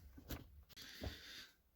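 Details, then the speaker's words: 2010 Citroën Berlingo front suspension, ball joints, bushings and stabilizer links already replaced: two dull low thuds about three-quarters of a second apart with a hiss between; knock suspected from the old shock struts, not confirmed. "стойка амортизатора сама сама старик амортизаторы будем разбирать послушаем как стучит погнали"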